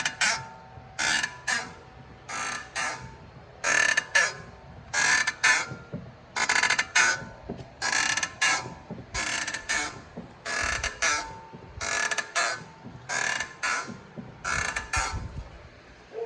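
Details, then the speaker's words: BMW: raspy creak-squeak with each brake pedal press, about twelve times; rusty, dry pad-to-caliper contact points, treated by greasing pads, piston and pad legs. "All right, if you got squeaking brake on a BMW, we're gonna show you the fix for this."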